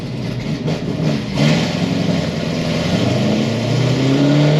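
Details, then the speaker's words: 800-mile Stage 4 6th Gen Camaro SS on the dyno; V8 pulls hard with climbing note and brief roughness partway through, driver lifted off; stumble under load, suspected cracked or bad spark plug, unconfirmed. "I let out as soon as I heard it that time. Not like a cracked plug or something, maybe? Or like a fucked up plug or something?"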